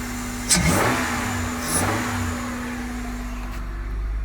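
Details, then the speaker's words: 2001 Honda Odyssey after installing a 3-inch short ram intake filter, two gentle throttle blips from idle with a breathy intake rush on each rise; engine revs cleanly, normal with added intake noise. "i'm not trying to rub it loud right now because my neighbor's outside i don't want to annoy him but you can hear the little intake noise"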